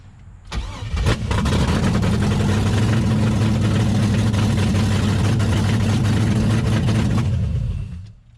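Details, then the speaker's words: Chevrolet S10 engine on short start after work: quick catch into a steady, even low rumble with no knocks or misses, with lots of smoke from residue on the cylinder walls; normal start and idle. "yeah she sounds good hmm look at all that smoke shooting out"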